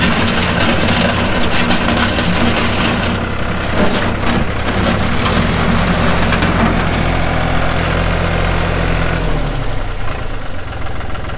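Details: 1999 New Holland TN65S 4WD cab tractor with NH 33LA front loader and 8-speed hydraulic shuttle, 4,162 hours, diesel idling: deep, even clatter that settles lower near the end, no knocks or misses; engine sounds good, hydraulics strong.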